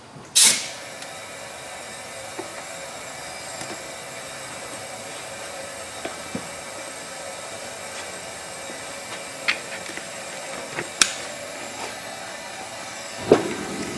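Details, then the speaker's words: 2008 Ford F-250 5.4 3-valve, 28,000 miles, running rough with misfires reported on cylinders 4 or 6 and 8. Leak-down test on cylinder six, engine off: a steady hiss of compressed air rushing past a leaking exhaust valve, with a few clicks. "we hear a pretty serious amount of air flow so we just start checking stuff"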